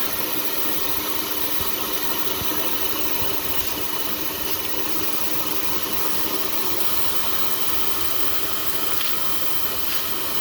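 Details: Exhaust leak found with cold pipes by pushing air into the exhaust with a cheap blower and spraying soapy water; steady airy blower hiss with air escaping at the leak, which could be felt and heard.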